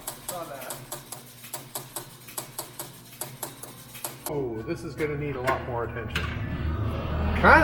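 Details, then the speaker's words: Rapid steady relay clacks and chime hits, about four per second, repeating nonstop after starting a game on a 1976 Stern Stampede electromechanical pinball; suspected that not everything resets, not confirmed. "okay what you guys remember what the old rule is for uh for electromechanical machines they continue to cycle why everything has to be reset"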